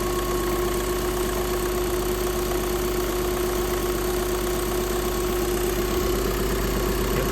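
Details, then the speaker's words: Skoda engine with client-reported knock only at cold start, gone once warm; steady, even idle with low hum and no tapping or knock heard; no knock at idle, mechanic hears nothing. "Заводимо, будемо слухали. Ніц. Я нічого не чую, якщо чесно."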